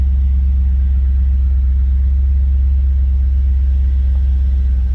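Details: 1989 Pontiac Firebird Formula, automatic with overdrive, about 55,295 miles, no accidents on record. A smooth, steady low idle rumble, even and unbroken, with no tapping or misses: a normal idle.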